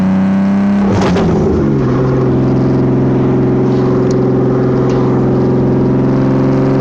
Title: I think I have an exhaust leak.